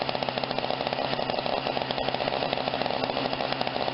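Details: Snapper 17 inch snow thrower, under repair, primed and started: small single-cylinder engine running smooth and even with a fast, steady buzz; no misses, surging or knocking.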